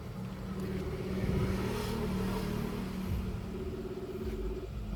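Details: Mitsubishi Mirage G4 (2022/2023) idling: steady low idle with a faint uneven lope and no sharp knocks; diagnostic code for a cylinder 1 misfire.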